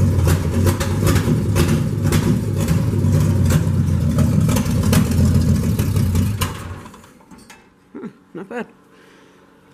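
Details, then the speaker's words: 1965 Chevy truck, third cold start with muffler removed, before carburetor rebuild, in neutral: loud, deep, lumpy idle with raw open-pipe bark picking up on a throttle blip, then shut off; sounds good, normal idle with open exhaust. "give it a little bit of gas sounds good actually"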